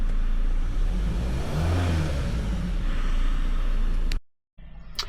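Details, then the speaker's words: 2016 Ford Transit minibus, 2.2 diesel, after replacing a failed in-tank fuel pump: steady, even low diesel drone with smooth rhythm, no stumbles or cutting out; fuel pressures now agree and it runs healthy. "There we go. Just had enough puff in it. You can see that once that got to about 120 bar, then it properly kicked in and span over."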